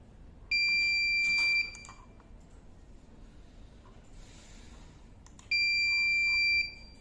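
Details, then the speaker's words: Dahua DVR/NVR with no hard disk installed: long steady high-pitched beeps about a second each, repeating every five seconds; no-HDD error alarm, silenced by disabling the event alarm setting. "No जैसे इसमें hard disk नहीं है इसलिए error दिखा रहा है"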